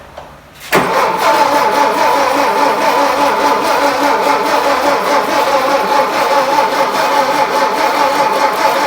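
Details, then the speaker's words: 1959 VW Beetle sitting about 45 years, first start attempt; engine spins over steadily for several seconds but never catches; carburetor found clogged, no muffler, distributor needs work. "It's plugged up. Yeah, carburetor is clogged."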